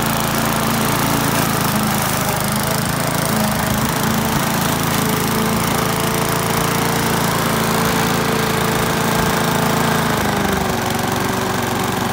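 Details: Australian-built Rover four-stroke mower after governor spring straightened: steady and even at governed speed with no misses, knocks or hunting; sounds healthy.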